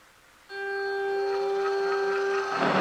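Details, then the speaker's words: Power feed motor on HiTorque 3990 Mini Mill, moving table left: small motor kicks on, settles into a clean steady whine creeping slightly higher as speed control is advanced to maximum; runs smoothly. "And as you can probably see, the shaft is now turning. We'll go ahead and advance the speed control. And that's the maximum speed."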